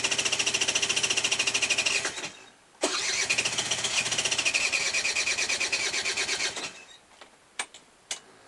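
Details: Aprilia SR Di-Tech scooter hard to start: engine catches and buzzes briefly, dies, restarts and fades again with sputtering bursts, won't keep running.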